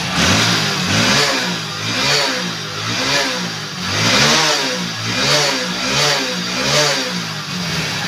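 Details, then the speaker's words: 2021 Hero Splendor BS6 bike after the fix for throttle misfire: small single idles cleanly, then blips up and back down about once a second without stumbling or stalling, healthy running. "और अब बिल्कुल bike silent के अंदर यहां पर start है okay और जैसे ही मैं बाइक का यहां पर थ्रोटल लेता हूं"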